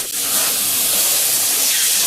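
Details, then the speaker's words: Heat pump during refrigerant charging: steady, sharp high hiss with nothing underneath while the fitting is tightened and the hose freezes. Refrigerant is escaping at a loose charging hose fitting. "Tighten it. I'm tightening it. The hose is freezing."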